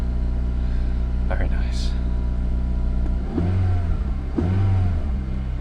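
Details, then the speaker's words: Honda Civic Type R (FN2) cold start after refitting standard exhaust in place of aftermarket: smooth low idle with two quick throttle blips, deep but subdued note, no drone; much quieter, normal. "so much quieter so yeah that was the cold start um not going to be disturbing any more neighbors so really happy"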